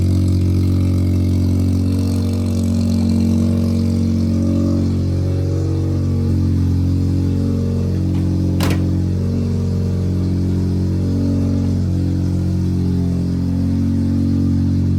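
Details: Mazda rotary project car with Sniper fuel-injected carburetor, phone placed nearby, just after starting: steady low drone with even, slightly lumpy pulse holding speed; normal running after start.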